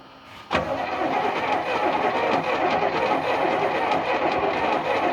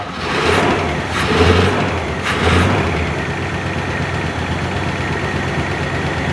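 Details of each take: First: 1976 GMC C35 with small-block Chevy 350, sat about 10 years, mice debris blown from cylinders, penetrating oil used to start: even, steady cranking chug about three beats a second; compression sounds balanced across cylinders. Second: 1976 GMC C35 small-block Chevy 350, started on penetrating oil and its carburetor after about 10 years sitting, mouse debris blown from the cylinders: rough idle with ticking and rattles, cause unclear.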